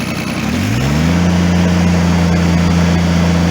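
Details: Kubota BX2350 diesel after fuel line unkinked and new fuel filter/water separator fitted: climbs quickly from low idle to steady high speed, clean with no knock or hunting; quick full throttle now gives slight black smoke, rarely seen before.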